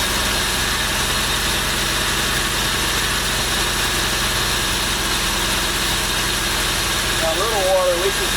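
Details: V6 truck engine swapped into a MerCruiser ski boat, run with an electric fuel pump on a first start after a cast-iron weld repair: a steady, even idle under heavy water and hiss, no misses or knocks, running cleanly.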